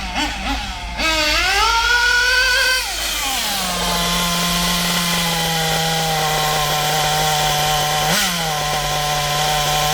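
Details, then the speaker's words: Kyosho MP9 nitro buggy, standard two-stroke engine after tuning: snaps up on full throttle from a standing start, then drops to a steady, even, smooth tick-over with no stumbling; running clean and well tuned. "There she is, running like a dream. There we go. Nice smooth tick over."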